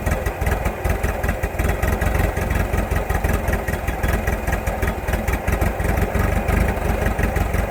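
Lumpy, uneven idle with irregular low thumps and a stumbling firing beat instead of a smooth steady run: rough idle, cause unclear.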